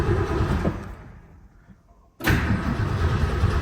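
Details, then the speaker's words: 1966 Lincoln Continental after years sitting, first start attempt: starter churns the engine about three turns a second, pauses and retries, but it never catches and fires; cranks, no start. "that's good okay we got crank"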